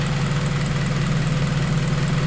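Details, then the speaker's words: Acura RSX at first startup after a return-style fuel system build with Aeroflow fittings, low on fuel: smooth, deep, even idle with no misses; no leaks, fuel pressure just under 45, AFR near 14.7, ethanol sensor working; normal idle. "Sounds like she's doing alright. Make sure there's no leaks. I don't see nothing leaking."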